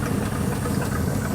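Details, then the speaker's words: Ford 289 V8 in a Galaxie with rebuilt Autolite 2100 carburetor: lumpy idle firing on all eight with rapid, even puffing tick on each pulse over the rumble; air chuffing out of a busted exhaust manifold. "now we do have a busted manifold on this side so you may hear some chuffing it's hitting on all eight yeah it's pushing a lot of air out around that manifold"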